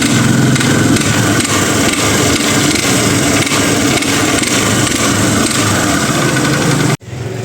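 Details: 150cc single-cylinder motorcycle started and revved slightly, with a rough loose knock that sounds like a rod or piston slap but is a worn balancer gear.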